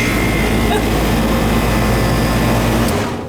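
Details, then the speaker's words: Old Goodman AC system whose fan was not running, started after switching the breaker on: loud steady whooshing hum with even low drone, no stalls or buzzing; condenser fan and compressor now working normally. "okay it's working now"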